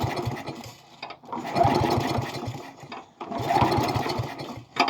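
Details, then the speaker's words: Murray lawn mower with spare replacement engine, last mowed in 2019, primed: three bursts of uneven starter cranking, engine never catching; turns over but won't start, cause unknown. "don't know why it ain't starting, because I've already primed it. I'm going to do one prime at a time until it starts."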